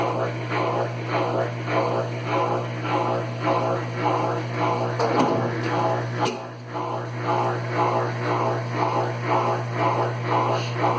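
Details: Consul Facilite CWC10 washer that would not power on, fixed by replacing the power board: steady low motor hum with a soft, even swish about twice a second and no knocking or scraping. The spin cycle runs normally.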